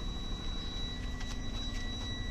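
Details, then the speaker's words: Semitrailer step deck with ABS light always on; meter on the sensor connector under the trailer gives a steady unbroken high beep while the wheel spins, stopping when the wheel stops; ABS wheel speed sensor signal normal. "This means that our ABS sensor is"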